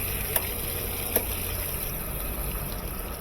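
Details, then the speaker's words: KitchenAid (Whirlpool-built) direct-drive washer after motor coupling replacement, loaded with clothes on normal 16-minute wash: steady hiss of incoming water with a couple of soft valve clicks, even flow; all inlet valves working, filling normally. "All of our valves are working."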